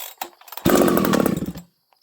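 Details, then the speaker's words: 371XP chainsaw on full choke with the high and low jets each set to 1 turn: a brief burbling, uneven rev that sags and cuts out. The low-speed mixture is rich, though not very rich, and the saw will not idle. "The saw doesn't want to idle now, and it's rich, but it's not that rich."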